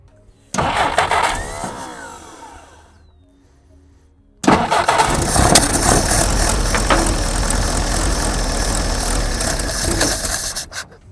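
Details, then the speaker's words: Jeep sitting 25+ years, first start with fuel poured down the carb throat while fuel pump primes; sputters, dies, then runs ragged and uneven; carburetor leaking fuel badly and needs a rebuild: rough running, leaking carburetor. "Yeah, it's pulling fuel, but we got some pretty serious leaks in there. That's okay. But we got something we we can work on on that one. So, that's definitely going to need a carb rebuild."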